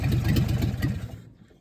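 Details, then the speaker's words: 1954 GMC 150 truck that sat 30 years, running for a cooling system test with a glass-top fuel pump believed cracked; runs unevenly about a second then dies; stalled because fuel pump draws air. "And she's pulling a lot of air, that's why she stalled."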